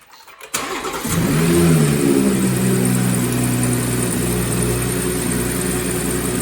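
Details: BMW 340i first start after replacing the plastic OEM charge pipe with a VRSF pipe and reconnecting the battery: brief crank, rev flare, then steady even idle; clean start.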